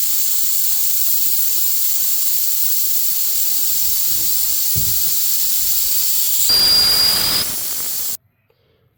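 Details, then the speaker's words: Air system deliberately bled down before undoing the supply pipe to re-pipe the diff-lock feed under the dashboard: strong steady hiss that swells briefly then cuts off abruptly as the stored air empties; intentional depressurising. "Right. So, that's all the air evacuated out of the system."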